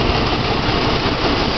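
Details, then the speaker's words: Jeep six at idle with spark plugs pulled one at a time, now on three cylinders: lumpy, uneven low putter with missing beats, off balance yet still running. Misfire, running on three of six cylinders. "all right that's three cylinders doesn't even sound that bad i'm impressed"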